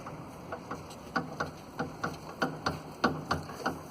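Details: Ford EcoSport with Rocam engine, body rocked by hand: sharp hollow clunks about every half second from the suspension, caused by a broken sway bar link, not the shock absorbers.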